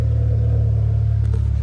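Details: Honda Civic sleeper with a B18 engine, newly fitted turbo, custom intercooler and exhaust, first start: steady deep low rumble at idle, even and smooth with no rasp or rattle; exhaust sounds healthy.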